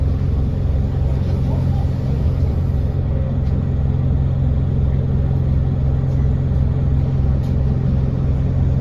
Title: 37302 engine sound Enviro 200 strange noise